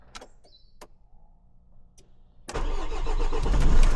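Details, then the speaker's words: Renault Espace IV 2.0 dCi diesel after fuel filter change and priming: a few quiet seconds, then it catches at once into an even, steady clatter with no stumbling; normal start. "voilà démarrage au Topf si tout va bien quand même on n pas une fite de carburant mais logiquement si ça démarre c'est que tout va bien"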